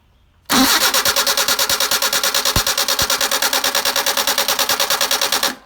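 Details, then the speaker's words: Car with rebuilt Solex carburetors (new throttle shafts, no machine work), hot restart attempt: steady, strong starter cranking at about three beats a second that never catches. The ignition was left off; crank, no start. "oh sorry didn't had my Swit my ignition on ah my bad forgot to turn the ignition back"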